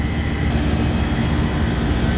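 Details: Walk-in cooler refrigeration compressor after fixing both evaporator coils flooding back: steady, even low hum, no knocking or rattle; sight glass cleared, suction no longer ice cold, compressor running normally, head pressure control still suspect.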